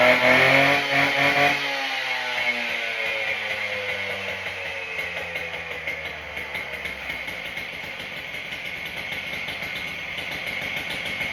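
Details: Husqvarna K770 two-stroke saw after carburetor soaked five days in brake cleaner, pump diaphragm hole fixed, new spark plug, started on choke: revs high, then settles into a steady, even idle with no cutting out.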